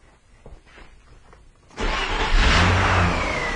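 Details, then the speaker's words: 2000 Nissan Maxima that failed emissions for high NOx, started after the clogged EGR tube was fixed: it fires at once and settles into an even, steady idle with no stumble, smoother than when it came in; normal start and idle. "All right. Actually, it started right up. And wow, it actually sounds amazingly smooth."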